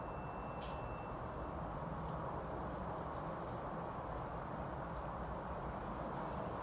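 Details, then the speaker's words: Payne outdoor condenser unit, tonnage unknown (owner guesses maybe 5 ton), running on cooling: steady, even fan rush and compressor hum, no knocks or rattles. "so this is the outdoor unit pain see how many tons it is it's either like 5 ton or something like I don't know I'm going to start it up and I'll do shutdown"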